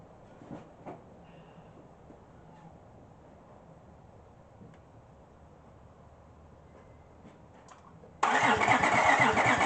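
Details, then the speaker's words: 2005 Honda Pilot after new timing belt, with suspected washed-out cylinders oiled and plugs refitted: near silence, then loud, even cranking that bites on each compression stroke; compression restored, some blowing back through the intake. "I'm going to say that sounds like compression. I think it was blowing it up through the intake, which is fine."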